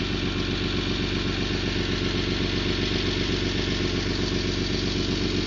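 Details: 1991 Toyota Land Cruiser FJ80, 3F-E 4.0L inline six, 229,000 miles: rhythmic puffing tick, about two per second, over a rough-edged idle; loud exhaust leak around the leftmost catalytic converter and O2 sensor.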